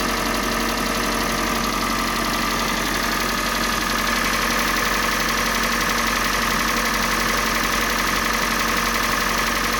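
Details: Kia Sportage 3, G4NA engine on Total 5W30 oil: fast, fairly regular ticking knock, about four per second, over steady idle; knock from inside the engine, source not pinned down.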